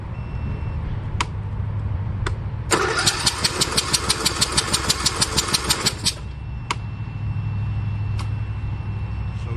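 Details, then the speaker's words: Troy-Bilt Pony riding tractor that sat unused a long time, customer no-start: starter cranks steadily for about three seconds but never fires, even with starter fluid/brake cleaner; owner suspects no spark. "I'm thinking obviously she don't have she not getting fire cuz I got uh I've been dumping starter fluid in her"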